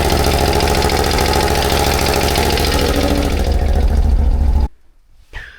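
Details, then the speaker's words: CFMOTO CForce 1000 (2V91Y) ATV engine after valve adjustment and timing marks checked: steady idle with a hard, fairly regular knock about three times a second over the exhaust; internal knock persists, cause not found, cylinder to be scoped. "Хрен его знает. Всё равно какой-то стук идёт. Хороший стук."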